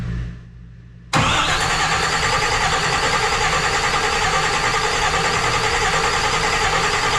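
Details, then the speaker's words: Rebuilt engine's first test crank, fluids filled, battery just installed, no gas in tank yet: after brief quiet, starter turns engine over at steady even rhythm, no knocks or binding, checking oil pressure builds; normal cranking. "everything sounds right everything sounds good"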